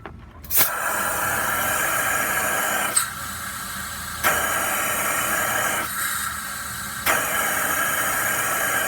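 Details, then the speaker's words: Leak-down test with shop air on a four-cylinder engine thermally damaged by running without coolant. Compression was 90 PSI on three cylinders and 105 on one. Steady hiss with each application shows leakage past damaged rings and valves, with air exiting the tailpipe and a head gasket blown between cylinders. "so we have valving problems we've got piston problems we've got an engine that's been thermally damaged"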